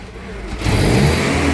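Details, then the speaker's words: Toyota 7FGU32 forklift, 4Y engine, with governor ECU. It jumps from a quiet idle into a sudden uneven rev-up that doesn't settle, as the ECU drives the throttle body wide open and then randomly shuts it; probably erratic around 1700 rpm. "It's roughly about 1700 RPM, right? And that's probably when this thing was revving all erratic."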